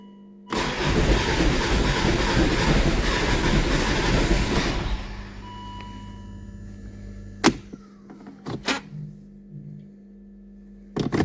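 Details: Volvo (V50/S40/V70/XC90 family) cranks steadily about four seconds without firing, then clicks and falls quiet; no fault codes, immobilizer/security light flashing red on windshield suspected; crank, no start.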